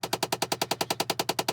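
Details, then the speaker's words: Chevy Impala (2006–2013): loud, rapid, evenly spaced clicking from behind the dash, suspected failing HVAC heat blend door actuator skipping its gears. "Alright, so what the problem is your door lock, actuator, air conditioner, heat blend."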